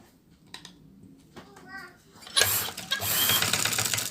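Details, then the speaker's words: Sewing machine that ran heavy, noisy and jammed, after fixing the jam: runs at speed with an even fast clatter, the main noise gone; light residual noise should go with light oiling. "देखें गा काफी हद तक जो है ना आपकी बल्कि जो आपका जो शोर था ना वो श वाला वो खत्म हो गया है बाकी आप इसकी जो हल्की फुल्की आई लंग कर दें तो आपका ये वाला हल्का हल्का शोर आ रहा है य खत्म हो जाएगा"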